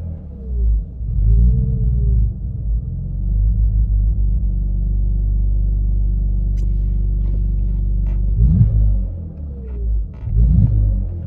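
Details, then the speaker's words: BMW E46 at idle: a deep rumble swells and sags as revs hunt between about 1500 and 800 rpm, worse when dipping the clutch while driving. Surging idle with misfire; owner suspects the throttle body. "When you're driving normally and you dip your clutch, it will rev up and down from about 1.5 down to about 800, and it will kind of just splutter up and down like it's surging almost."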